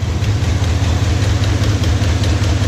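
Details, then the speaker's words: Second-gen Dodge Ram 1500 V8, stick shift, idling after a garage burnout: steady lumpy idle with a light quick tick on top; owner suspects a vacuum leak. "girl still ticks. Sounds like we got a vacuum leak somewhere. Not surprising."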